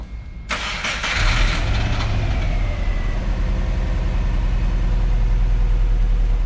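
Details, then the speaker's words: Freshly swapped JDM Subaru EJ205 in an Impreza RS on first startup: cranks and catches, then idles with an uneven, lumpy beat — misfire from cylinder two injector left unplugged with a busted connector. "all right so after this last startup we noticed that it was it kind of had like a little bit of a misfire it sounded like probably like an injector sticking or something and then once again we realized oh we forgot to plug in cylinder two that connector was busted"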